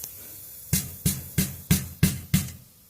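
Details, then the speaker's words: 2014 Ford F-150 3.5L with exhaust leak and broken manifold bolt at turbo: six quick metallic knocks with loose rattle; driver's-side catalytic converter broken up inside, other side not rattling. "cats are rattling your side cat's not rattling but that driver's side one is so that is all broken up inside there"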